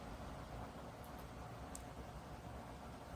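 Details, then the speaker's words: Dreo Pilot Pro S bladeless tower fan with DC motor at maximum speed, level 12: a steady soft rush of air with a low, even motor hum and no whirring or bearing noise; running normally. "So at this speed you could hear it blowing blowing air and you could hear the uh the motors I mean the motor I should say spinning but at least to my hearing I I don't hear that slight worring or bearing noise that I did in the Pro."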